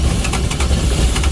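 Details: Carrier/Thermo King reefer unit diesel restarted after running out of fuel, primed by hand pump with bleeder valve; steady clatter with even firing pulses once it catches, runs cleanly; normal running.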